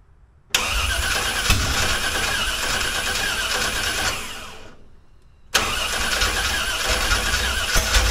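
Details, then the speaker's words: Engine starting, distributor not removed since the engine stand: cranks, fires, stumbles and dies, then runs ragged on restart. Owner suspects it is out of time or the choke; hard start and rough running, cause unconfirmed. "It sounds like it's out of time, but I ain't took that distributor out since I had it on the engine stand."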